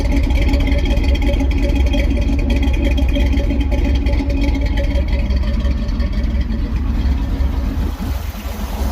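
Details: 1969 Jeepster Commando with new battery, cold and warming up, reluctant to idle down: loud, even, low rumble holds steady with no misses or knocking; normal idle.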